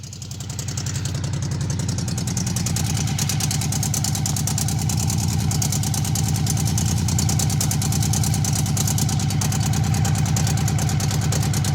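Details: Honda CB750 barn find, 65,000 miles, years outside: even, steady four-cylinder tick-over, soft regular patter, no knocks or misses, smooth as a sewing machine apart from a rattle.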